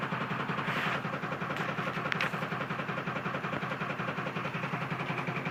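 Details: 2002 Ford F-450 7.3 Powerstroke diesel at idle; sharp rhythmic tick about 160 per minute over the clatter, an engine knock; owner suspects a bad injector, not confirmed.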